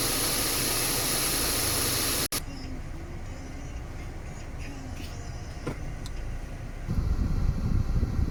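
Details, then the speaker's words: Subaru XV after repair for AC not cooling and a noisy compressor: steady low engine hum under the blower hiss, with the compressor now running quietly and no knock, rattle or grinding. Normal AC compressor operation. "ครับหลังซ่อมนะครับคอมพิวเตอร์ทำงานเงียบอยากเปิดร้าโน้ทอ่าหลังซ่อมนะครับคอมเพรสเซอร์ทำงานเงียบคอมพิวเตอร์ทำงานเงียบลองใช้งานกันดูก่อนนะ"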